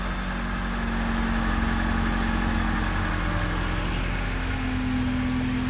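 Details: Dodge Caliber that had lost power and stalled with the fuel pump unpowered, now restarted: steady, even idle with a smooth low hum and no misses or knocks; fuel pump working, normal idle; the stall later recurred.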